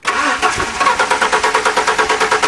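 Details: 1998 Ford truck that sat unused for a year and a half, on a new battery: quick, even cranking at about six compressions a second with no firing. Stale fuel smell, possibly not drawing fuel.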